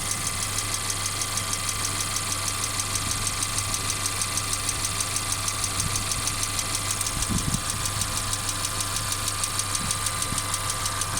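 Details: Mercedes CLA 250 at steady idle: light, fairly regular clacking about seventy-odd per minute; intermittent engine clacking, source not pinned down; car also stutters when accelerating after long slow driving.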